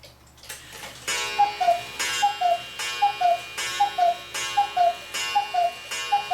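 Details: 1940s Black Forest Hubert Herr cuckoo clock after cleaning, oiling, new Tyvek bellows and gong adjustment, amplifier on the clock; steady two-note cuckoo calls with a crisp strike about once a second, sounding even and healthy.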